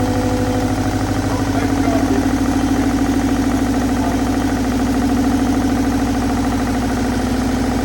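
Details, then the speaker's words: Old car engine first started in about 20 years, with a homemade exhaust manifold and possibly flooded; loud lumpy idle, uneven chuffing beat, sounded like running on two cylinders, one not going right; rough running misfire, cause unconfirmed. "hey wow sounded like it was running on two"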